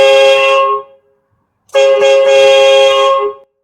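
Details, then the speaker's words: 1969 Ford F100 with air ride, 4.6 swap and a newly installed train horn on the air system: two loud, steady chord blasts, the second nearly two seconds long, with full even tone and clean cutoff; the horn works properly. "not sure how good you guys can hear that man but it sounds like a damn train up in here that's loud as heck man that sounds awesome"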